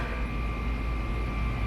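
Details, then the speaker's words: Yamaha F4 4 hp four-stroke outboard, hydrolocked after years in storage, now fixed and oil refilled: even, steady buzz with a constant high whine, no misses or knocks; runs and idles fine, smoke from leftover cylinder oil burning off. "The uh prolific smoke is from the oil that's left in the cylinder. It'll burn off. I'd like to see a Ninja blender compete with that. Seems to be running great and idling fine."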